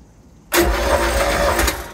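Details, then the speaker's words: MerCruiser 3.0L 120 hp four-cylinder compression test: short steady starter cranking burst; cylinder 2 stays at 50 psi after six cranks versus 95, 90 and 120 psi on others; low compression, wet test planned. "yeah still 50 the second cylinder is not good it's still 50"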